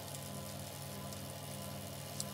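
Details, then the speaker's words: Waxed bicycle chain on a test rig, about 30 seconds after 5 g of dry contamination was added: only a soft, even whir over the rig's hum with no crunching or gritty rasp, so the chain is running clean and normally. "about probably 30 seconds in since i added it and there's really no change to the sound of the chain"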